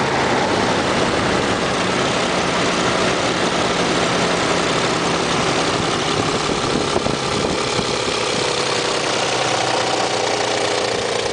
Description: Ended up being a bad idler pulley.